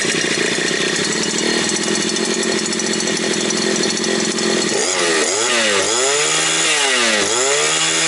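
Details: New gasoline brush cutter (trimmer) that would not start at first, restarted after standing: steady high buzzing run, then several quick throttle blips rising and falling cleanly without stumbling; starts and revs normally.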